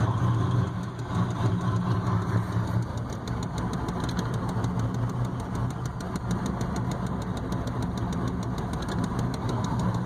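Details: 1993 GMC 3500 6.5 turbo diesel, mechanical pump: rough, lumpy uneven idle with diesel clatter, heavy white smoke, needs throttle to idle when cold, still rough warm; cause unknown.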